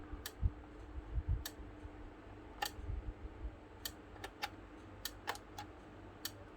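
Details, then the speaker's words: Old, dead APC Back-UPS, stated as 6500 VA, plugged in and switched on: relay clicks sharply about every half second over a faint hum, the light flashes and it won't power on; battery replacement is planned, doubtfully as the fix. "I'm just gonna plug it in, turn it on, and you hear this is its symptom. You can hear the relay just clicking and the light flashes."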